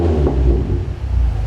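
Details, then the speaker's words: Decat Nissan 350Z: deep, even exhaust rumble through a quick throttle blip with no stumble, popping or misfire. "knows see that didn't sound that no misfire so that's absolutely awesome"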